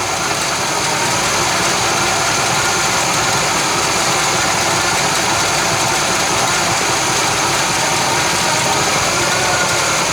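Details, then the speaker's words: 1966 Chevy Biscayne, numbers-matching 396 big block, running off its own gas tank with little fuel visible in the filter, tune-up parts not yet fitted: steady, continuous V8 idle with an even beat, no stumbling or dropouts; runs smoothly. "यहाँ शायद ही कोई ईंधन है, लेकिन बात बस चलती रहती है"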